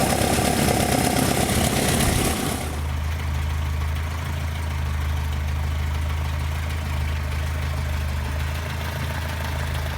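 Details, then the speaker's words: 2 L engine with carburetors set up for this motor, no air filters fitted yet: brief rev blip drops cleanly into a steady, even, smooth idle; normal idle and rev. "this is what it should sound like it's a normal 2 L with really well set up carburetors just for this motor this is way it should be"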